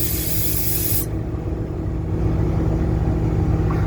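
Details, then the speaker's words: 2011 Ford F750 service truck with crane, onboard air compressor kicking on, gauge showing 80 psi though gauges are unreliable: hiss cuts off then steady low even mechanical chug; compressor running normally. "The air compressor does work. It only shows it's 80 psi. I mean, you can hear it kick off, but it. Yeah, it just kicked on there."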